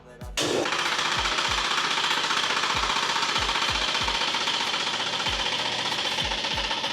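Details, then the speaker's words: Fusheng HTA-100 air compressor starting at 0 bar tank pressure: a loud hiss with heavy, uneven knocks about four a second from the pump head that quiet once pressure reaches about 0.5–1 bar; valves and check valve replaced without fixing it. "ที่เราเจอก็คือตอนที่แรงดันมันเป็น0นะครับแรงดันในถังเนี่ยเป็น0เวลาเปิดเครื่องแล้วเนี่ยเครื่องมันสตาร์ทเสียงดังนะครับ"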